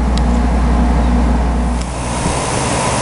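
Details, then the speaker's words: Goodman GPH heat pump package unit after evaporator coil replacement, running in heat while charge is weighed in (9 lb 6 oz): steady low compressor hum and even outdoor fan rush, no rattles or squeals; normal operation. "see now the compressor's on an outdoor fan motor I'm going to go ahead and check the charge and then we'll fiddle with this a little bit"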